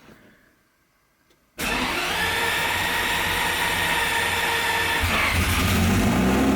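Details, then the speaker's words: Cheap Lamborghini with DIY turbo kit, new exhaust, redone fuel system and standalone Syvecs S12 ECU, first start: engine catches abruptly and settles into a loud, steady, busy idle that never climbs in pitch; won't rev, cause not yet found. "help me out with with finding out why the car doesn't rev this does have a standalone Cybex s 12 ECU in it so there will be a little bit of troubleshooting there"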